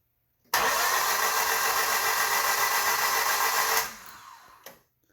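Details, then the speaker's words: 2005 Honda Civic LX 1.7 after timing, water pump, head gasket, plugs, coils, battery and fuel renewed: starter spins engine at quick even beat about three seconds, never fires; crank, no start. "the point is i can't get this vehicle to start it will turn over but it just will not actually fire"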